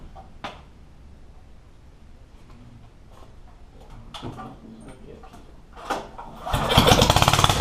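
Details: Yerf Dog one-seater go-kart with newly installed Predator 420 single-cylinder engine, breaking in: catches after fiddling and runs with quick even firing pulses, no misses; healthy.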